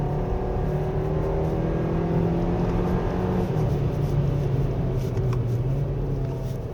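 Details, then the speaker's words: 2024 Hyundai Kona 1.6 turbo gasoline 2WD on a slippery winding road, wheels spinning: engine held at high rpm sounds gravelly and rough, with road noise underneath; driver notes this rough high-rpm note persists, cause unknown. "그리고 이 높은 회전수에서 엔진이 좀 거렁거렁하죠, 여전히."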